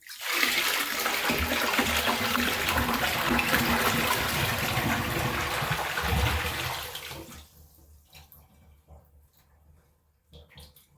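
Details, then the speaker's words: Kohler Trent toilet bucket-flush test after its clogged jet was cleared: a loud rush of poured water for about seven seconds, then a trickle that stops with no siphon gulp. It failed to siphon again, so clearing the jet didn't fix it. "Okay. Well, that's interesting. Don't know how, but it didn't siphon again."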